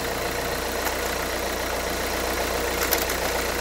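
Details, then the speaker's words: 2011 Renault Kangoo 1.5 dCi 86 hp, under 100,000 km, warm idle: steady low drone with fast even ticking about four a second from the Delphi injection pump; air and foam seen in the fuel line, owner suspects pump defect. "Il y a un bruit pas trop suffisant, pas trop rassurant, pardon, je veux dire."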